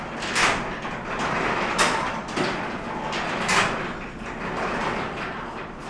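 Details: Garage door travelling after lubrication: heavy bang about every one and a half seconds over the running noise, far too many bumps to be healthy; cause not yet identified.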